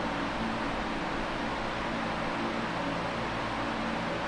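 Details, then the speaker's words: Late-1970s Canadian Super 16-inch oscillating fan with blue blades and safety grill, before restoration and servicing, on medium speed: soft even rushing air over a gentle low rumble, no motor whine or blade flutter; normal, pleasant white-noise sound. "it's such a good sound I can listen to it all night and have this fan running next to me while I sleep it's such a pleasant sound and I'm sure for those of you who sleep with a fan running would appreciate this"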